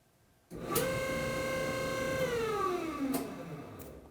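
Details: Electrolux EFME527UIW0 dryer: a loud steady high-pitched squeal that slides down in pitch as the motor winds down; drum motor stopped by a sock lodged after the lint trap came loose, following earlier clunking.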